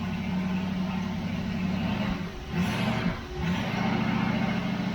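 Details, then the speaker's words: 1973 Dodge LA 318 V8 on an engine run stand, first start after sitting about 10 years, oil pressure about 50 psi: steady low idle rumble, earlier lifter tick now gone; normal idle. "Yeah, no more lifter tick. Yep. Man, it sounds good."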